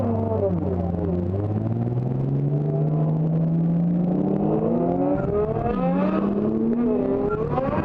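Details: Drift car at WA Drift Round 2, petrol engine revving hard up and down. A ragged, uneven note shows it misfiring all over the place under load; cause unclear.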